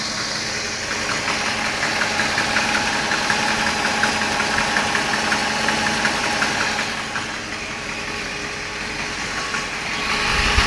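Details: BMW E38 740i, M60B40 V8 at idle: steady light ticking about two to three clicks a second over the engine note with strange knocking; cause suspected, not confirmed.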